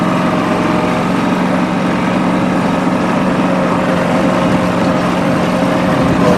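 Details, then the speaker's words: Late-model John Deere 445 garden tractor, 2500 hours, warm start on three-year-old gas: steady, even engine drone at constant speed, no misses or knocks, faint light valve-train tapping; no exhaust smoke, doesn't burn oil, runs healthy. "now I'll start it up and show you guys the operation so warm start [Applause] not a single trace of smoke out of that exhaust pipe"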